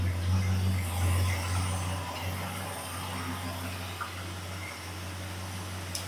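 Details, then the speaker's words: 1974 Ford F100 V8 first start after engine bay rework with new Summit Racing intake, carburetor bowls filled, timing backed off after sounding too advanced, no coolant yet: steady idle with even low beat, no stumble or pinging; running well. "Well, that sounds like it's running pretty good to me."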